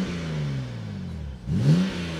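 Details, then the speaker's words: Six-cylinder BMW salvage-auction car, listed as "engine runs" but bought as a non-runner, now warmed up a little. The engine falls away off throttle, then sweeps cleanly up and settles with no knocks or rattles: a healthy engine revving. "that sounds beautiful sounds lovely now it's warmed up a little bit"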